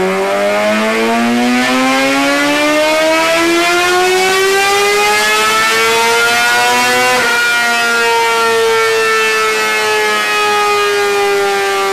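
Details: 2003 Honda CBR600RR with a 2006 replacement engine (2,300 miles) after a spun rod bearing, Power Commander and K&N air filter, on the dyno for tuning; smooth rising wail climbing through the revs, brief dip, strong pull again; clean, healthy high-rev run.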